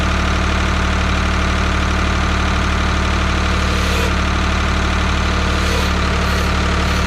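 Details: 1985 Ford 545A industrial tractor loader backhoe, 3-cylinder Ford diesel, first cold start after rebuilt injector pump, even clatter about 200 beats a minute with steady low rumble and no stumbling; idling properly.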